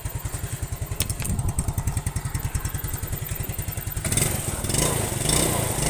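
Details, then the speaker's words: Yamaha Mio scooter after carburetor repair and setting for hesitation on first throttle, heavy fuel use and low power: even single-cylinder idle putter, picks up straight away when blipped with no hesitation or popping; normal idle and revving. "Jadi udah kayak normalnya lagi ya. Jadi digas sedikit aja itu udah ngisi gitu kan. Jadi RPM-nya langsung naik. Jadi gak ada berbet sama sekali ya."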